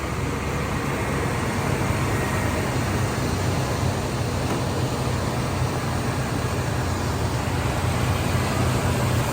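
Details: 1991 Chevy Caprice wagon V8 after a new fuel pump, plugs and wires, with mixed-up plug wires corrected: starts right up and holds a steady, even rumble with no misses, knocks or hunting; healthy idle.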